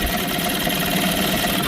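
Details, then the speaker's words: 1981 Eska-built Sea King 7.5hp air-cooled single-cylinder two-stroke outboard, thought to have little running time, with a cleaned carburetor, idling in neutral on 50:1 fuel. A fast, even buzz firing regularly with no misses; a nice runner. "I have run this motor before, and it's actually a nice runner. I don't think it's got hardly any time on it."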